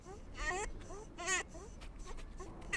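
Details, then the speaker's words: Honda Integra DC2 B18C1, water pump removed during timing belt service: short, high chirping squeaks in uneven bursts as the pump is turned by hand; removed pump squeaks when spun, being replaced. "never heard a water pump sound like this after pulling it"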